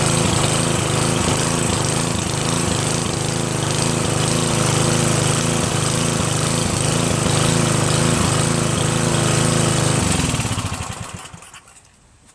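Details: Northern Hydraulics pressure washer, Briggs 3.5HP, sat 8 years, started on starter fluid sprayed into the air cleaner and run dry without water; steady, even chug at fast idle for about ten seconds, then winds down and stops. Normal running.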